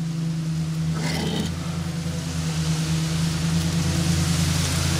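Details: Vintage Crompton Parkinson electric motor on test after cleaning: steady low even hum throughout. Runs, but draws about 12 A instead of rated 2.15 A; owner suspects partially shorted run winding.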